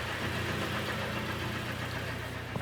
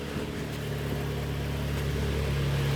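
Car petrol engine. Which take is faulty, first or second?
first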